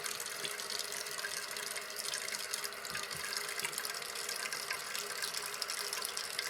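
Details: Toilet tank refilling after fill valve (Fluidmaster) replacement, water level set with the adjustment knob: even hiss of water filling the tank with no squeal or shudder from the valve; a quiet, normal refill.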